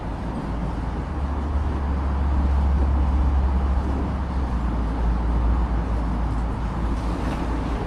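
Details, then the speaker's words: Spa air blower running after clearing lines, having previously stopped bubbling; steady airy roar with low rumble, no knocking, squealing or surging, blowing strongly and normally. "I gotta say, this thing's blowing like a motherfucker and it looks good to me."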